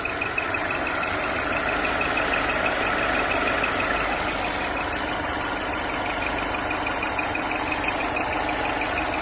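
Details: Mercedes E350 Coupé: engine idles steadily with a thin high whistle constantly on top from the engine bay; engine whistling noise.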